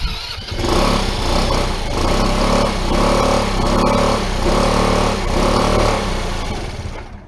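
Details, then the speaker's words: PGO T-Rex 150 that hasn't run in years, with little old fuel in it: a small single-cylinder idle that swells and sags about once a second until the idle is adjusted; it needs a tune-up. Unsettled idle. "all right let's start it up pretty good um just needed to mess with the idle there to get it to settle down"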